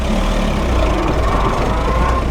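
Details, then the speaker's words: VW Golf, after fitting single-port injection and new distributor: floored while driving, engine drones at flat low revs without climbing, bogging near stall; zero power, cause unclear. "this car has like zero power now you had no power before but like watch this to the floor nothing like no power"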